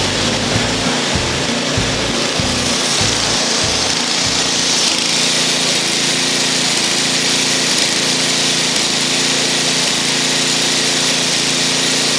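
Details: 8 hp engine on neglected old Ariens snow thrower, started on choke after carburetor service and fresh fuel: catches and settles into a steady, even run with revs holding smoothly; normal running after carb work.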